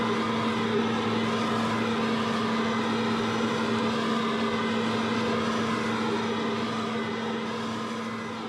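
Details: RedMax EBZ5150 blower after carburetor replacement (old carb blocked from bad ethanol gas): steady, even two-stroke drone holding one pitch with no surging or sputter; running cleanly and strongly.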